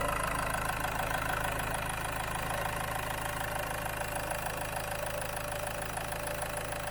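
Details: Land Rover Freelander 2 diesel idling on Wynn's diesel purge feed during an injector clean, fuel pump fuse 22 removed. Steady, even clatter with a constant low drone, no misfire or stumble: normal idle.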